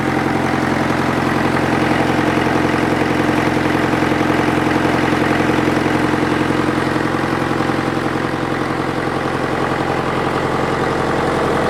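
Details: International Harvester 554 diesel tractor after about five years sitting, air filter cover off: steady, even idle with regular low beat and induction noise, no knocks or misses; runs clean, little smoke, owner suspects glazing; loose water pump belt.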